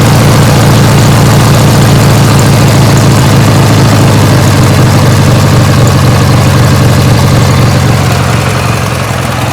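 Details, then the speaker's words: 1980s Sears Craftsman II garden tractor, Briggs & Stratton 18 hp twin, after carb cleaning and new starter; deep, even low thump at idle about four beats a second, Harley-like, no knocks or misses; normal idle. "really like this Briggs and Stratton twin as you can hear that thing is it almost like it sounds like a little Harley uh pretty cool man nice and low"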